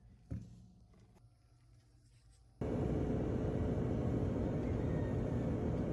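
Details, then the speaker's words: Whirlpool dryer after replacing drum and drum support rollers for loud rattling thumping: brief thump at start, then steady even low hum with no thumping or rattling; drum running smoothly and quietly. "nice and smooth that's how should be it's going to be nice and quiet"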